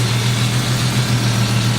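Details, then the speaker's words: Jeep engine with stalling problem, firing order 1-5-3-6-2-4; deep idle hum dipping unevenly, dead cylinders 1 and 3 from two loose fuel injector connectors, misfire. "I did find Loose two loose connectors on the uh fuel injectors that if you touch them those cylinders go dead"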